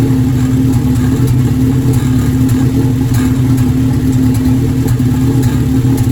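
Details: Formula engine after intake manifold gasket installed: steady low idle with uneven beat and occasional skipped or popping firing pulses; misfire, cause not identified.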